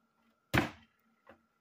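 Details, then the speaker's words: Last Xbox 360 console tested from a lot of four (three Xenon, one Falcon): a single dull thunk from the disc drive with a faint follow-up knock in a quiet room; the tray ejects on its own right at power-on, not a good sign. "all right here we go last console it's already ejecting it's not a good"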